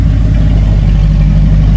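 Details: Engine of a Tonner build (possibly a burnout car), first listen after first modification: deep, steady roar held under load, smooth and even with no knocks or misses; normal revving, sounds right.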